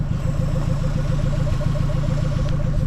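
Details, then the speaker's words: Mazda B2200 carbureted engine, running after 20 years following a new fuel system (pump, lines, filters, carburetor, fuel cell), choke wire removed: steady, regular idle on its own, about three to four even beats a second, no stumbling; runs fine. "so happy so happy and she's idling she's just sitting there idling by herself"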